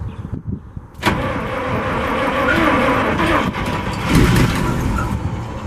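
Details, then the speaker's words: 1963 International 549 engine with two distributors, on starting fluid (ether) only, no fuel supply yet: brief crank, then a rough, uneven roar that surges and sags, trying to start but not running well. "It's trying, it's not going real good, but I think it's good enough."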